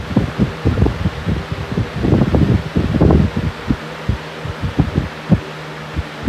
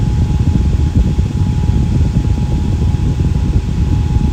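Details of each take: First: Fan at full power gives uneven pulsing low thumps several times a second over its hum; fan wobble, owner suspects the blades are out of balance. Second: Fan with Lakewood blade set, run at full power; not oiled after reassembly. Smooth low whooshing air rush with a faint steady tone, no squeal or rattle; normal running.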